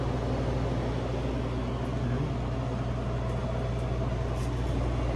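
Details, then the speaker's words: Cafe cooler condensing unit on R-404A after replacing a leaking suction-line service valve and pulling deep vacuum, valves mid-seated: steady low hum as the condenser fans run and the compressor kicks on and starts pumping, no knocks or rattles; normal running. "Oh, that's a good sound. I hear the condenser fans are on. I just heard the compressor kick on. We are starting to pump."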